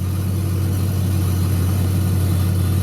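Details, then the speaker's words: 1996 Jeep Grand Cherokee Limited 4x4, 4.0-litre inline-six, about 120,000 miles, just started: steady, even low rumble with no knocks, misses or ticks; smooth, healthy six-cylinder idle. "And so let's take the key. And let's fire it up. Sounds pretty good. It has the 4-liter inline 6."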